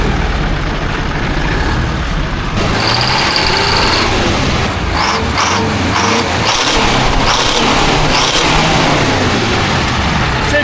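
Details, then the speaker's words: 1972 Diamond REO C116, 8V71 diesel revived after about 20 years sitting, straight pipes: loud open-pipe rumble, lumpy slightly surging beat with air hisses, all eight cylinders pulling evenly. Normal running. "These Oh, this was straight pipes right now. Definitely hitting all eight."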